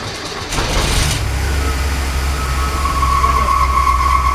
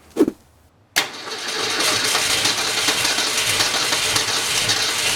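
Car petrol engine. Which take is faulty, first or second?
first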